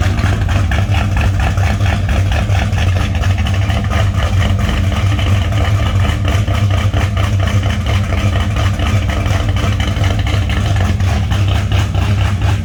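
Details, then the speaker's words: 1960 Chevy Bel Air V8 with a fairly big cam and raspy exhaust, idling cold to warm up: deep uneven loping idle with steady raspy pulse, no knocks or ticks; normal lopey idle. "as you can see that car has a pretty good sized cam in it so I don't like to inspire it to move it cold I would like to warm up a little bit anyway"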